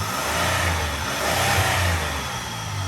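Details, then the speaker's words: 2004 Buick LeSabre after repairs and a code erase, check engine light off, idle now higher: the engine picks up cleanly on the throttle and drops back smoothly with no stumble or chugging; running healthy. "Oh yeah, that sounds way more healthy. Way more healthy."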